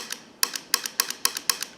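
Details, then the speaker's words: Wiper motor from a 1970 Cadillac Sedan DeVille on the bench, idle: sharp dry clicks in pairs about every quarter second; cause undetermined, not heard while the motor runs. "How come that does that now? When this is running, it doesn't. I just don't know."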